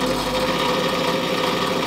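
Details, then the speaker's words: Whitfield WP2 Advantage pellet stove, made 1988: blower fan gives a loud constant mid-pitched hum with a buzzing rattle underneath and vibrates badly; owner suspects a failing bearing or blades off, motor likely to be replaced. Blower noise and vibration. "It was made in 1988, and this blower fan here is very noisy and it vibrates real bad. As you can hear, it's quite noisy, vibrates real bad."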